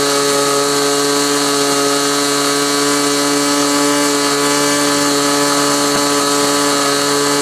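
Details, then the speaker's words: Glow engine on SIG Kadet LT-40 during break-in, needle reset to about one and a third turns: high even buzz at one pitch, no sag or surging, running smoothly; may be a little lean at idle, unsure. "what you're going to see next is the remainder of that video after it was running and running smoothly I turned it back on and uh let it run for a while"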